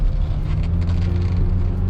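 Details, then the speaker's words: 2010 Kia New Morning, 30,000 km, test drive: only steady low road rumble, no clunks or rattles from the suspension or underbody; shifting and brakes also normal. "하체 쪽에서 어떤 소음 하나 발생되지 않습니다. 하체 쪽에서도 소음 하나 발생되지 않고 있고요."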